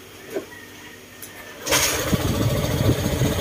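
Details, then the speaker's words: Honda ADV150 scooter after valve clearance adjustment, seat refitted: cranks, catches, settles into steady even idle with the earlier knocking gone; healthy engine. "wala na yung crok kokok krok crok bast tahik na siya"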